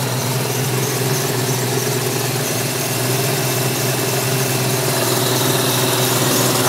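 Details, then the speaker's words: 1994 Mustang with intake, cam and exhaust and a BBK throttle body, idling: a thin, wavering high squeak holds with engine speed over a worm-like whine; owner suspects the tensioner pulley and the smog pump, unconfirmed. "a squeak also i feel like this leak is coming from i feel like this wig is coming from the uh the uh the tensioner pulley but it really sounds like the the whining noise coming from the smog"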